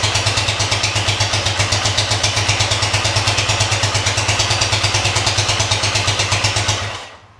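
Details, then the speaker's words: 1973 Honda CB100 after new spark plug, wire, coil and points, kick-started: quick even putter for about seven seconds then fades and dies; still won't idle, owner suspects a separate cause. "Well, it still doesn't idle, but that may be something entirely different."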